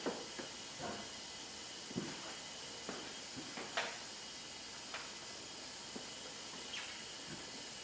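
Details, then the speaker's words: Hyundai Genesis 2.0T R-Spec, engine off, leak-down test on a cylinder after compression readings of 110/70/90/90 and milky oil: constant airy hiss with light clicks, about 80% leakage out the exhaust side; exhaust valves not seating, head gasket also considered. "where is that going yeah we got an exhaust valve from [Applause] or a head gasket"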